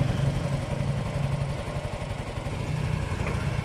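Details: Yamaha Mio i125 scooter after spark plug fix ended no-start: small single-cylinder putters at quick fairly even idle, no stumbling or cutting out; runs normally.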